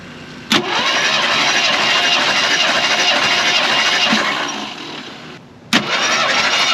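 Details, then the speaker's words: Jeep CJ5 with new battery and cables, cranking for compression test with spark plugs out: steady even rhythm at about three beats a second; compression about 150 psi on all cylinders, one about 155, with little deviation. "As you saw, we actually had a pretty good spread on the compression test. They were all just about 150, maybe a little bit over, which is actually really good. That means none of them are deviating too far."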